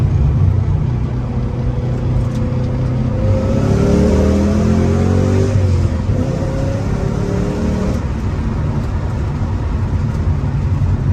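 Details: Ford Mustang GT 4.6 3-valve V8, first start after a new engine, clutch, flywheel and headers install: an even idle rumble, revving cleanly up and down with no knocks, ticks or misses; it ran and drove well. Normal running.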